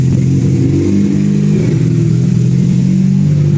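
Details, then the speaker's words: Mazda RX7 rotary running hot while being checked for vacuum leaks: a low, flat drone that won't climb. Revved to 6000 rpm cold but now can't go above about 2000, idle hunts 1000–2000 rpm. Vacuum leak suspected. "now that the engine's hot it doesn't rev as good as it was when it was cold it was revving a little better"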